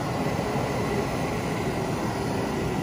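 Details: 1972 R-code, newly installed heater blower motor and new switch, heater box out of car, run through off, slow, medium and high; steady, even airy whoosh with no ticking, scraping or squeal, blower working normally.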